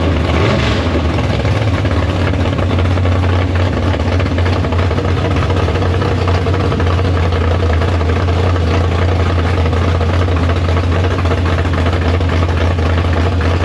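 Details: Big block Chevy V8 in the Farm Fresh gasser, first start after sitting, 750 carb, downjetted; deep, heavy burble that settles quickly and stays even and strong, warm at temperature. Healthy normal idle.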